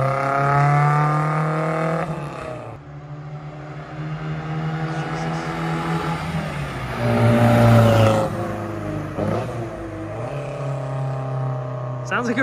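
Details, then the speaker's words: Ford Anglia freshly fitted with Weber carburettor, after rear main seal leak: clean, crisp revs climb and fall smoothly with no stumble or hesitation; running well. "sweet it sounds so cool"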